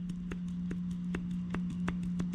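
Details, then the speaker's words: Worn driver's-side inner tie rod on a W211 Mercedes E320, rocked by hand: sharp little clunks three or four a second over a steady hum, play felt by hand, unlike the new rod which cannot be moved by hand. "So the driver's side is even worse because you can feel the movement."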